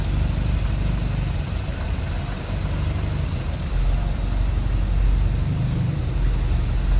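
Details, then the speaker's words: 1963 Triumph TR4, 2,138 cc inline four on twin Strombergs, warm after a couple minutes, choke fully off, hood open: low, steady even idle, no misses or knocks; smoothed out, slightly cold-blooded when cold. "Nice and quiet. And it has definitely smoothed out without that choke on now."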